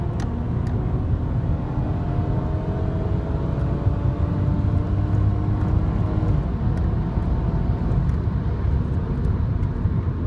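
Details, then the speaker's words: Toyota 1G-FE VVTi IS200 with ACIS intake valve disabled (vacuum lines blanked, valve left plugged in), hard acceleration test: deep booming induction roar rising with revs, much louder than the factory intake with paper filter; revs out cleanly without the usual kick. "you'll actually hear that it's quite a lot louder the completely Factory intake even a paper air filter it's much much louder"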